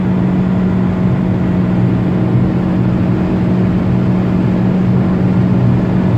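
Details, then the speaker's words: 2019 Proton Persona sedan, in-cabin, full-throttle roll-on acceleration to about 5,500 rpm: steady low humming drone over engine noise that persists; suspected sedan body/large boot resonance, not confirmed. "Revs at about 5,500 RPM. And there's still that sound."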